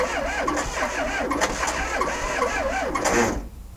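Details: VW-engined Sterling kit car cranks slowly and laboriously without catching; batteries ruled out. The 6-volt transmission bellhousing was clearanced for a 12-volt starter but its bushing was never changed, so the starter drags.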